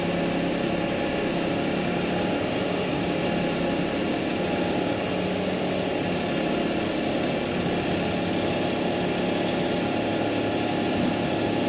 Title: Audi a6 3.0 tfsi strange noise on 1500 rews 0:49